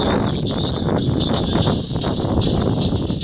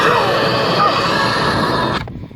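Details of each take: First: Samsung UN55D6000 55-inch TV playing audio: harsh fuzzy sound with buzzy rattle over everything; speaker cone damaged, cracked cone, fixed by replacement speaker. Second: Samsung UN55D6000 TV with bad sound from dented speaker cones, now with replacement speaker: program sound full and clean, no buzz, rattle or distortion. Normal speaker sound.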